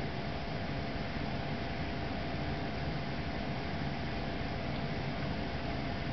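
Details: Trane XV95 95% variable-speed 5-ton furnace, blower on low at about 1,200 CFM, recorded about 2 ft away: steady, even airy rush with a faint constant hum, no rubbing, ticking or surging; blower running smoothly.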